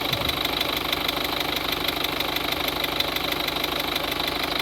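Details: 2003 Peugeot 206 1.4 HDi 70hp diesel at idle: light, regular tick-tick about three times a second; caused by leaking injector seals, and the noise was gone after replacing them.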